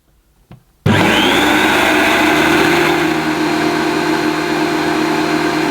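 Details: Late-1980s Electrolux 614 upright vacuum after refurb, motor cleaned and greased, suppressor removed, original carbon brushes: hard spin-up to a steady high roar with a faint rough grumble underneath; motor still slightly grumbly.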